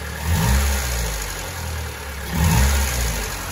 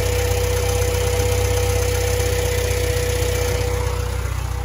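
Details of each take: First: Honda Civic EK4 after oil pan and cooling hose work, cold idle after refilling oil: smooth and even with two brief rev blips and no rocker-arm ticking or knocking; the previous rocker noise is gone. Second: Honda Civic EK4 at warm idle after oil level top-up and a baffled Spoon oil pan install: light, regular clack about three a second. The tick persists but is much improved compared with before.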